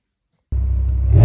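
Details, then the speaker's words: BMW E63 M6 with S85 V10, near 100,000 km, after replacing connecting rod bearings with ACL bearings and genuine BMW bolts: deep smooth V10 rumble picking up cleanly on blips, no knock or tapping; healthy engine. "As you hear the M6 is in good shape and ready for summer! We changed the connection rod bearings, which is a known problem on these S85 engines, that are used in the M6 and M5 of these years."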